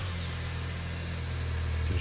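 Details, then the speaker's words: 2001 MINI Cooper R50 petrol engine started with the 20 A fuel pump fuse removed to depressurise the fuel system: even low idle falters and cuts out after about two seconds, stalling from fuel starvation. "there we go so it died quite quick just check that all right so that's it we've got no petrol"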